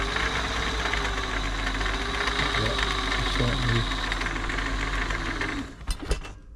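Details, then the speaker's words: Old Singer 507 sewing machine during a service for non-working feed dogs; fast, busy mechanical clatter with a thin whir as it runs dry, and it gets quieter as oil works into the shafts and bearings. "yeah getting all through to it now oil can make it and it's dry it can make it really noisy"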